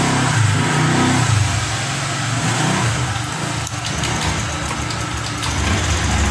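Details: Motorcycle with an uneven, stumbling note, ragged pulses and no clean rise in revs; it sputters and won't take throttle. Second substitute injector fitted (Beat FI 2014, after one from a Vario 150). Injector still suspected; cause unknown.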